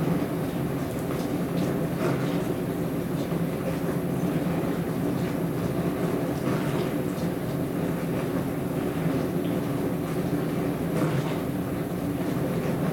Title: More noisy dishwasher